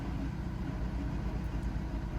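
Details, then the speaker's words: Fiat Egea 1.3 Multijet diesel, manual gearbox: rough, clattery, somewhat loud idle; car nearly stalls, rpm needle wanders on its own, idle faulty; noisy idle, cause not yet known. "arabayı çalıştırdım neredeyse stop edecek gibi devir saati de kendi kendine oynuyor rolantisi de bozuk rolenti de sıkıntı var"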